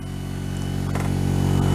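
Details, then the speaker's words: Diamond disc grinder after repair (bolts and screws Loctited), on a table, run from a Variac at about 70 volts: smooth low steady hum with slight table buzz, gently building; normal running at reduced speed. "I never run it that slow, you can get no work done."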